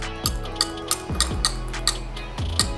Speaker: that's a top click that's a bottom click of the problem one this is the bottom click of the normal one see the difference normal poor see it sounds like there's stuff built up into there